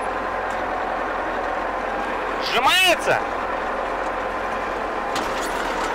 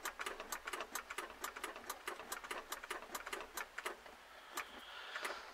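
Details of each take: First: German E303 mower during drive-belt replacement, running in second transport gear. A steady, even engine drone and hum with no knocks or slipping squeal. Everything basically works. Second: German E303 hay mower, starting after drive belt replacement: rapid dry clicks about four a second, starter engages but does not turn the engine; it sometimes won't start and has to be started by direct wiring.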